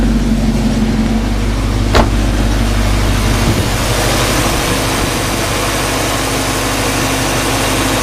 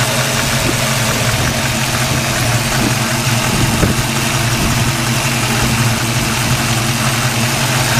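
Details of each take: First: 1995 Mustang Cobra with suspected knocking: with the A/C on, steady even idle with a low hum and no knock. Owner believes the apparent bearing knock comes from the A/C compressor when its clutch is disengaged. Normal idle. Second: 1995 Mustang Cobra at idle: loose, uneven light knock about three a second under engine drone, suspected bearing but likely the A/C compressor with clutch disengaged; noise seems to disappear when A/C is switched on.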